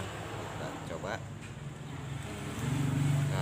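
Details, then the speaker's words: Miyako mixer after repair, previously rough-sounding and turning unevenly, old gear replaced with new one: steady, even motor hum with no grinding or rattle, rotation smooth again. "Alhamdulillah, ternyata putarannya sudah lancar dan suaranya pun sudah halus kembali."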